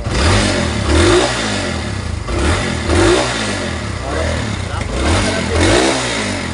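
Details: Kawasaki Barako II 175 motorcycle that misfires and stalls, especially in traffic: the engine revs unevenly, cutting in and out every couple of seconds and stumbling; misfire from water in the fuel.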